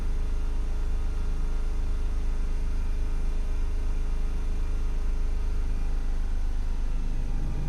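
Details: Range Rover with misfire but no stored DTC in ECM: engine holding steady revs with slightly uneven low pulse, fitting an intermittent misfire.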